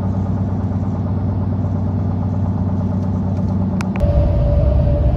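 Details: Goodyear Wrangler Authority tires on a truck after 40,000 miles, rotated only once, were phone-recorded at highway speed. They give a loud low droning roar with a rhythmic slapping throb, as worn knobs on every 4th–5th inner lug of the front tires slap the pavement.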